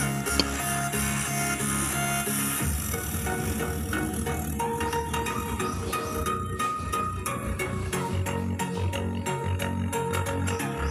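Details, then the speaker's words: Polytron active speaker, left channel, before repair: music sounds rough, fuzzy and very hoarse with clipped edges while the right channel is fine. The technician suspects a weak power amp, weak capacitors or the amp supply; the indicator light is dead. "Ini yang sebelah kiri suaranya kedengaran serak sekali. Nah, dengarkan, serak sekali ya, suaranya sangat serak sekali yang sebelah kiri ini."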